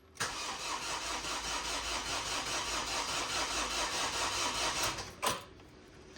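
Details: Ford Fiesta TDCi diesel with a starting problem, with the fuel lines redone and the battery a bit low: the starter cranks steadily at about 2.5 turns a second for five seconds but the engine never catches. Cause suspected, not confirmed.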